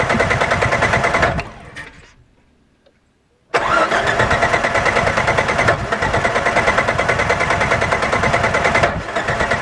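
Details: 1998 Jeep TJ that won't start and makes a locking sound: the starter churns in a steady rhythm, pauses, then cranks again, but the engine never catches. Cause was a bad power (pickup) plate under the distributor cap; it later recurred after seeming fixed.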